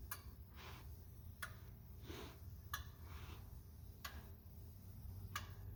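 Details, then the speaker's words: 2004 Ford 6.0L Powerstroke diesel with rough running, scanner injector self-test: faint sharp clicks about every 1.3 s over low hum, but number two injector stays silent, a dead injector; no code was set for it. "we are missing number two I thought I heard it"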